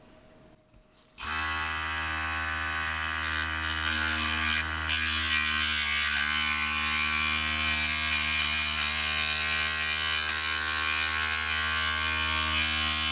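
Motor drone with a buzzy rattle and steady pulsing about four per second as it cuts, the loosely held workpiece chattering.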